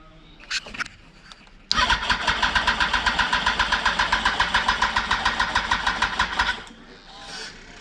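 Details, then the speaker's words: 2004 Yamaha R1 first started after 10 years, cold, with fuel lines reconnected and injector spray and spark confirmed. It cranks briefly, catches, then runs a fast, uneven, lumpy beat of about four pulses a second; rough running, owner says it needs warming up. "Headlights going. She's running. She's a bit rough. She needs to warm up, obviously."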